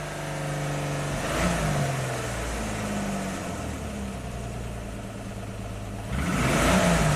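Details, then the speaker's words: 2002 Jeep Grand Cherokee 4.0 inline six after rebuild, cam signal restored and misfire cleared (suspected fouled plug): revs up smoothly, even steady idle, clean blips; running well. "Yeah, there we go. That's a good running Jeep."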